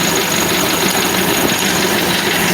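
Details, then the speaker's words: 1964 Chevy C10 engine, running again, water pump off and timing not yet set: busy, clattery idle with fast light ticking; hydraulic lifters sound like a solid roller, so the rockers need readjusting. "sounds like solid roller, but no, it's hydraulic. I got to go back through and readjust the rockers."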